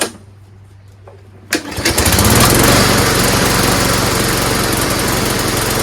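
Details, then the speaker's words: Street-found lawnmower, primed, started, then died: a rapid, uneven putter that stumbles and surges instead of running smoothly. Owner suspects rainwater got into the fuel tank through a hole in the cap and plans to drain the tank and carburetor. "ed and now it seems like it sputters a lot what I think is because this had a hole in the cap it has rained so perhaps water got into the fuel tank"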